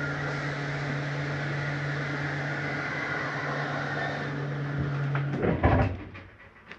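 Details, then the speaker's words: 2018 Forest River Ultra V 2618 RV bedroom slide-out retracting: steady low motor drone for about five seconds, bottoms coming in first, then a few clunks as the slide seats; normal retract. "slide comes in the bottoms always come in first because that's where the slide mechanism is and they straighten themselves out"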